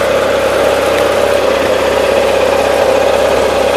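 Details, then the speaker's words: 1976 Gravely 816 tractor engine: steady even drone with constant mid-pitched tone, no knocks or misses; running really good, with a leak seen only when shut off. "so it's running really good"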